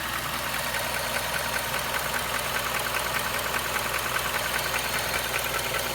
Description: Any ideas what is causing this ticking/clacking sound?